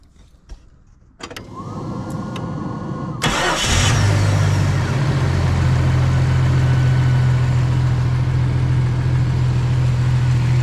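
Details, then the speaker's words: 1995 right-hand-drive Jeep Cherokee with a used XJ engine installed: starter whirs briefly, engine catches cleanly and settles into a steady, even idle with no knocks or misses; normal start and idle. "here you go it's done it's up and running now I can get it out of my garage"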